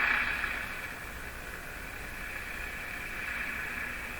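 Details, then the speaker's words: Philco Model 24T five-tube radio during alignment, tuning across the band: steady hiss with a faint high whine, landing on noise signals that raise the IF output voltage instead of a station. "That's a noise signal doing that, and here's a station. Oh, that's another noise signal."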